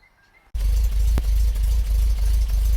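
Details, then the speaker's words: MGB GT engine not running well before valve gap tune-up, slight choke on: low, lumpy idle with uneven beats and dips in firing; rough idle, cause unconfirmed. "anyway it's not running brilliantly so first thing I'm going to do I'm going to back it out a bit I'm going to turn the engine on"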